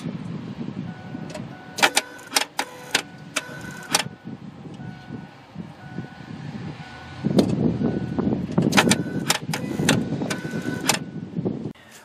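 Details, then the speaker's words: Ford F150/F250 5.4L 3V, key on engine off, heard in engine bay: throttle continually snaps and clicks erratically instead of one open-close cycle, telltale of bad electronic throttle body (P2135, wrench light). "it'll continually cycle back and forth back and forth all erratic and I'm going to put you in the engine compartment so you can listen to it while I turn the key on and that's one of the biggest tell tales that you have a uh bad electronic throttle"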